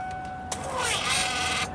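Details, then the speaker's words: Ford truck with new fuel pumps and low fuel pressure (15 psi dropping to 0): key-on priming gives steady high whine, front high-pressure pump suspected; later no fuel reached it from either tank. "I think the pump is shut. It shouldn't be making that kind of noise."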